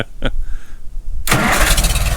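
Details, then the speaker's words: Farmall Super M tractor after full engine rebuild, warm restart after carburetor adjustment: short starter whir, catches within a second, settles into even lumpy idle; normal start. "oh yeah it still runs okay no drama"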